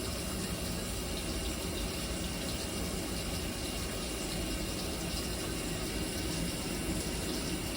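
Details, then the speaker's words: GE top-load washer in diagnostic mode after motor replacement: constant, even rushing hiss of water filling, no chatter or hammering; water valve filling normally. "the next one will say c that's the cold water turning on and the AL would mean agitate so you could hear the clutch kicking in and motor's working water's coming in now"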